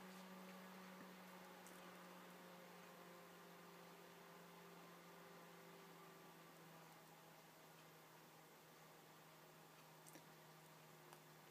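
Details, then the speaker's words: Computer cooling fan on PIC 12F683 PWM controller with LM35 sensor, CPU cooling after case top replaced; quiet steady whir with faint low tone easing lower as fan slows back to its normal quiet idle speed. "now it's dropping back down to the level that it usually sits at when it's idle. It's quiet enough that it's much more pleasant to to watch a movie now."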